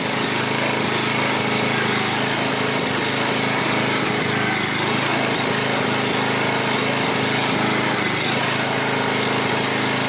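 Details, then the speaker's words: 7-year-old Craftsman 28-inch walk-behind, warming up: steady, even drone at fast governed speed, no misses, knocks or hunting; 3240 RPM measured, engine sounds healthy. "3240, that's a good RPM. It sounds good. Not bad."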